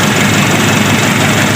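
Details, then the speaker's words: Daihatsu-engined Taft GT diesel after piston overhaul (complaint: limping at start, smoke, high fuel use), idling: smooth low rumble, no missing beat or knock; no smoke from oil filler hole, running normal. "Nah, jadi normal kan. Itu kan nggak ada asap juga di lubang tester oli. Berarti normal kawan."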